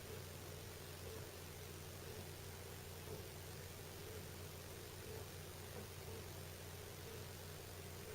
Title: mom's house makes creaking noise when ducts heat up or cool down, upstairs bedroom capture